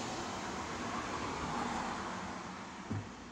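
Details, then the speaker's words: Whirlpool automatic washing machine that would not spin, after repair with the pulsator refitted: a quiet, steady motor hum as the basket turns, no grinding or knocking; spinning normally again and drawing 1.0 A. "Ayun. Umiikot na. Ayan, oh. So, okay na yan. Ayan. Umiikot na. Ayan, oh. Ayun, nag-spin na."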